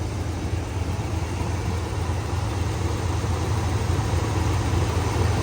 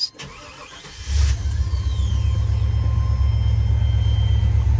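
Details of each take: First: 1994 Chevrolet C30 3500 ex-fire truck, 7.4 L 454 fuel-injected V8, automatic, 4WD, about 27,000 miles, sold at auction with a miss: deep, steady idle with slightly uneven, loping pulse; engine misfire at idle. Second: 1994 Chevrolet C30 3500, 7.4 L 454 V8, 27,581 miles, 262 miles after head gasket replacement: catches after a short crank, settles into a deep, steady, even idle, no knocks or misses; normal start and idle.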